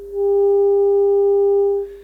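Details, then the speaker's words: Telefunken Operette 6 radio's Bluetooth module, 400 Hz test tone via Bluetooth, scope on output: steady tone with faint buzzy edge, slightly distorted; crossover distortion from op-amp on the Bluetooth board. "I I don't know if you can hear it also on the uh on the video but it's slightly distorted"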